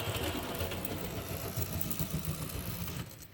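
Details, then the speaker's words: HST model locomotive with CD motor and DCC conversion: fast, light, steady buzzing whirr that fades out, the motor free-spinning because the pinion has slipped off the cog; needs re-tensioning. "So it'll basically do half a revolution of the track and then it will come off, and it will just sit there with the motor whirring, which I'll see if I can get it to go like that now."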